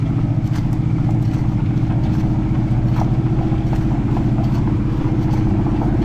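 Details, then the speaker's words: 1968 Ford F-series "Ole Red" with Ford 360 FE V8, newly finished headers and exhaust, no hood: loud, deep, even rumble with steady firing and no knocks or misses; running healthy and much better. "we got the engine running really well we got the headers and the exhaust ish tell you what y'all she's running a whole lot better oh man"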